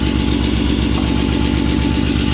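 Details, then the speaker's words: Ford Capri with swapped Mercedes M113 5.0 V8: fast, even ticking over idle, keeping pace with engine speed; top end sounded terrible at first start, quieting after running and revving; owner suspects hydraulic lifters; unsealed exhaust leak behind shield also present. "this top end noise is odd. Well, this thing here sounded horrific when I first turned it on. The top end sounded terrible, but running for a bit and revving it, it's quieted down, so maybe hydraulic lifters,"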